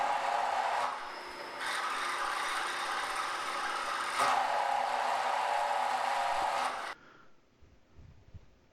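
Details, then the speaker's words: Drilling the last hole of a barrel-fluting-machine back plate on a mill: harsh buzzing rasp with rapid shudder, chatter because the part was longer and wider than the table and not firmly held. The fix was stopping and C-clamping it to the table. "so when we got to the last hole we experienced a fair amount of chatter drilling the hole what we did to compensate for this we stopped the machine and then we used a C-clamp to clamp that to the table you can hear the chatter right now"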